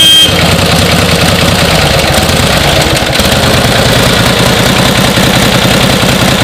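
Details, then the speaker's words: 1949 Harley-Davidson Panhead, original paint, running: steady, even potato-potato V-twin beat with no misses or knocks. Normal running; owner says it runs like a top and just needs to be ridden. "this is now I got it started this is a really awesome bike uh runs like a top just needs to be ridden"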